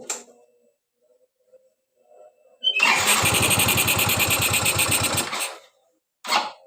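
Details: Yamaha Mio Z (Mio M3 125) injection scooter that stalls at low throttle, restarted after throttle body cleaning: fires and runs about three seconds with an uneven, lumpy beat, then cuts out; idle still not settled; unstable idle.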